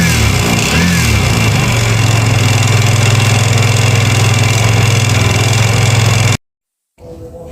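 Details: Yamaha Xeon GT 125 FI scooter with radiator coolant mixed into the oil, front pulley and roller housing removed: steady drone with a rough rapid knock, about 3.5 per second; mechanic says it could be con rod or piston pin.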